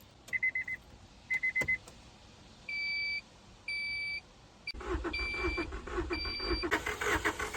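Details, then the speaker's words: 1989 Honda Prelude, 100,000 miles: door chimes, then steady cranking that never catches, with no spark and no fuel pump hum at key-on despite a new relay and a reportedly new fuel pump; no start, main relay suspected. "So as y'all can see, it doesn't have spark. It's a new relay in here."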